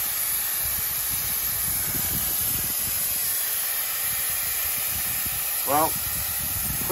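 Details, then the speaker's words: 1979 Chevy K10, revived after 20 years, overheated after a four-mile drive: a loud, steady steam hiss, source of the leak unknown. Owner fears a cracked block from water left in it. "there's a lot of steam I can't tell what's going on or what's leaking at this point there's just steam everywhere"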